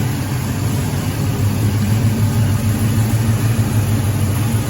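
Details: 1984 Chevy K10 with a mild cam, newly converted from carburetor to Holley Sniper fuel injection, running during setup: deep, steady low rumble with a mild cam lope and no knocks or misfires; idling fine.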